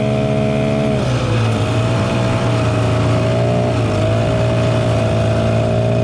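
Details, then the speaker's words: 1967 Ski-Doo Alpine twin-track snowmobile, revived after sitting many years, running on its own fuel, warmed up on a 75° day: steady two-stroke drone dipping and climbing cleanly twice with throttle, smooth throughout; healthy normal running. "dude. That thing sounds awesome, >> dude."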